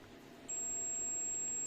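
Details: LG monitor that blinks but won't turn on, power supply board: faint hum then steady high-pitched multimeter continuity beep across the fuse; fuse is good.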